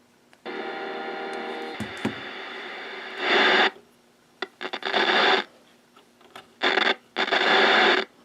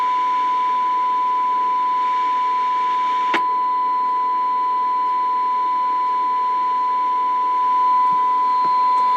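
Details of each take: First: Bearcat BC-210 radio scanner rescued from a dumpster, tuned to 445.0: bursts of hissing static cutting in and out with scratchy crackles as the controls move; dirty potentiometers. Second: Bearcat BC-210 radio scanner rescued from a dumpster, fed a 50 microvolt test signal: a clean, steady mid-pitched test tone at even level without dropouts or crackle; receiving normally, sensitivity seemed slightly low before alignment.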